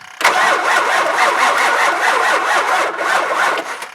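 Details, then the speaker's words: Truck at 11.8 V battery jump-started with an old NOCO GB150 jump pack: steady, sluggish cranking for about three and a half seconds that never catches, voltage dropping to 10.5 V; pack too weak to crank fast enough. "and this is what I'm talking about this gb150 a truck like this that's still got some juice but it's just not enough juice to to crank it over long enough and fast enough to get it to actually fire up"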